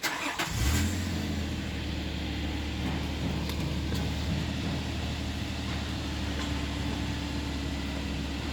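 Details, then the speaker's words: Nissan Elgrand NE51 VQ35DE 3.5 V6, automatic, 4WD, 107,000 km, tested in Japan before dismantling: catches quickly and idles smooth and even, revs steady, no knocks or hunting; automatic shifts, engine healthy. "Работает ровно, оборот не плавает, АКПП переключается, все работает. Двигатель работает ровно, грязи не идут."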